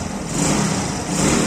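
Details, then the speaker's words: Zanella 110 cc Cub motorcycle with new Helux carburetor, warmed up: steady even idle with no hunting or misses; needs no air or idle screw adjustment. "Observen que regula perfecto, no hace falta tocar el aire, no hace falta tocar el ralentí, no hace falta tocar nada."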